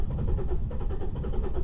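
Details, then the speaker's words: 2015 Holden Colorado RG 2.8 L Duramax four-cylinder turbo diesel, 6-speed auto: steady rhythmic cranking with even starter pulses but never catches; crank-no-start fault. "and as you could hear there it's cranking away but no start and in this video I'm going to be showing you how I diagnosed and fixed this"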